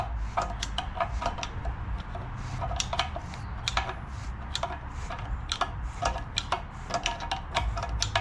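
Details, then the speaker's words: 1958 Edsel E400 FE engine, previously seized, rebuilt with new rings, turned over by hand: smooth rotation with only light clicks, no scraping, scratching or binding; engine turns freely. "Okay. Not binding. Not hearing scratching."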